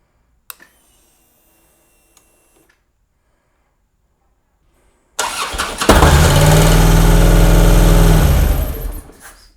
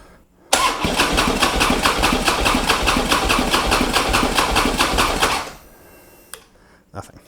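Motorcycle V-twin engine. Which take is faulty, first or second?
second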